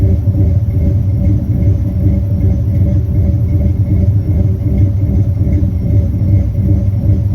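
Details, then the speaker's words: Turbo 5.9 Magnum V8 Dodge Diplomat, new Comp Xtreme Energy cam, Holley Terminator X EFI; coolant above 140°F, idle 400-1000 rpm, throttle under 3%: low, heavy, uneven loping rumble pulsing a few times a second from deliberate ECU timing cycling; engine healthy. "What this thing is essentially doing is going into like an endless loop of adding and subtracting a bunch of timing at idle, and so it gives it a fake lope."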